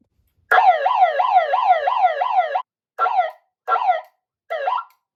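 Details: Ademco 702 electronic siren at full power: strong warbling sweep about twice a second, then short even bursts; clean, working properly (sounded weak on a 9 V battery at lower power).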